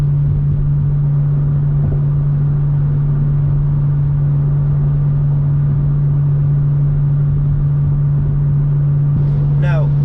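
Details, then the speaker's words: BMW M2 with M Performance exhaust, cruise set at 77 mph, in-cabin, testing with Active Sound Design disabled. A deep, steady low hum drones under the road noise, with no perceptible difference from ASD. The drone is suspected to come from the inherent exhaust design. "there appears to be no difference for asd which is a bit of a bummer because you still have that frequency that's hanging in your ear"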